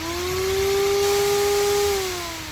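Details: 1966 Ford Mustang electric cooling fan on newly wired relay, powered by bench test before ignition hookup: steady electric motor hum with clear tone that swells then eases; fan runs smoothly.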